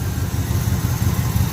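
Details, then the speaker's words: 1980 Chevy K10 V8 with new starter, gas tank out for cleaning: deep, uneven low rumble catching briefly, running only on fuel left in the carburetor bowl. "I guess it's running off the fuel in the carburetor bowl."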